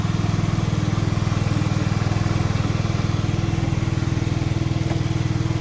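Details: Revx 125 (Fekon) motorcycle, which had been stalling on throttle, warming up: steady even single-cylinder idle thump, no misses or knocks; normal idle.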